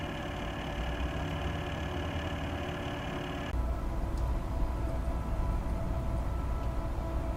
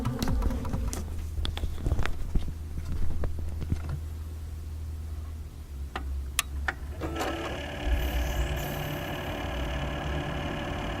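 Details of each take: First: Replacement Corsair H100 water-cooling pump, microphone right next to pump, after the original loud pump was RMA'd: only soft steady whir and fan hum, no rattle or buzz; normal quiet pump operation. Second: Corsair H100 AIO water-cooler pump in an idle PC with eight quiet fans and a new Corsair PSU; a steady low hum with a whirring tone, all from the pump, louder than all the fans combined; an RMA replacement unit fixed it.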